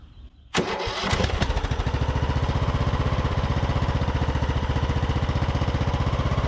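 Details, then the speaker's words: Craftsman YT3000 riding mower abandoned about 4–5 years, after draining gas-filled cylinder, started on fuel dribbled from a bottle; brief crank then quick, even putter with quiet muffler, no misses or knocks; sounds super healthy and smooth. "all right well I would call that a win right there of sounds super healthy and very smooth that muffler is really quiet on here as well"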